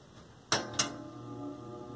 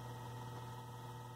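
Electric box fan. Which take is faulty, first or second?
first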